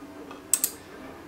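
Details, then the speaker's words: Three sharp dry clicks over a quiet hum from an Arduino-driven dual relay in a JBC solder station adapter, switching power as the iron leaves the stand; normal relay clicking, relays flick very quickly. "you can hear the relays are clicking when i move this out because it's switching the power over but um i may need to tweak the code a bit more because the relays flick very quickly"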